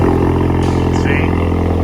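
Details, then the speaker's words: Big-turbo EcoBoost Mustang after removing faulty Nostrum high-pressure fuel pump and returning to stock pump: loud steady even deep hum, no misses, knocks or hesitation; running normally. "and it's loud i actually missed this thing like it's been a while"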